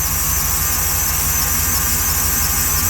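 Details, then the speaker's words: 2014 Jeep SRT8 V8 after broken valve spring, cold weather: steady high squeal over an even idle, unchanged; not the power steering pump, accessory-drive source unconfirmed. "looks good though so driving home but not a power steering pump wiing got to figure that out"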